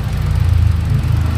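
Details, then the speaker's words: Hyundai Accent gasoline engine at idle after fixing a loose wiring socket that caused no firing on cylinder 4, not an ECU fault: smooth, even idle with a steady low hum and no skipped beats, all cylinders firing equally. "ah ayan kung nakita niyo tumining na siya ano tapos ah ting natin yung firing Ayan oh malakas na siya pantay na siya sa ping dito yan"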